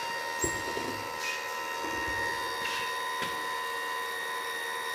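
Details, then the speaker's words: Light-sensing chicken coop door going back up, driven by a 12 V solar-charged linear actuator, after a delay while the sensor confirms daylight. Steady small-motor whine at constant pitch with a few light clicks; normal actuator operation. "Now you hear the door going back up. So, this is exactly how this process works."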